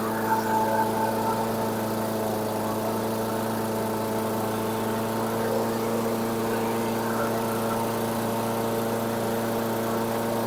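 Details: 2008 Weedeater 22-inch 500 series mower, engine model 10T502, after non-start repair work: steady, fairly high buzzing note, no hunting or misfires; RPMs a little high, possibly left high for heavy cutting; throttle cable and a possibly bent screw to check.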